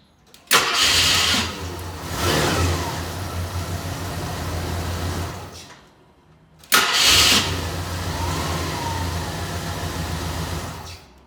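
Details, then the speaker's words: 1985 Jeep Grand Wagoneer after a new starter was installed: two short, brisk cranks, each catching right away into a steady idle with no grinding or dragging; started three times in a row after previous starting issues. "so so all right three times in a row it was definitely having issues before that so i i think we're golden"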